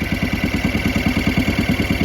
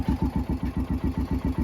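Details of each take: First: 2011 Kawasaki Mule 610 XC, overdue for service: engine chugging about three beats a second with a thin steady squeal on top; owner suspects the belt or one of the clutches. Squeak while running. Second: 2011 Kawasaki Mule 610 XC, 1,000 hours, after oil leak repair, before basic service and test drive; steady even idle thump about seven pulses a second, no knocks or misses, sounds good.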